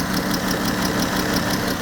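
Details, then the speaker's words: Dodge/Chrysler minivan at 134,000 miles, driven while overheating with a coolant leak at the oil cooler, coolant low: uneven lumpy idle with shaking; misfire, severe overheating damage suspected. "It's shaking. Where we going? Why am I shaking? I got a misfire somewhere, guys."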